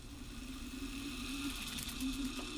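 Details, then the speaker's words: Brushed DC electric motor brought back to life: low whirring hum that wavers unsteadily in pitch with a faint rattle, running roughly; brushes are getting cooked and may be welding to the brass commutator. "yeah those brushes are getting a little bit cooked but essentially that's it"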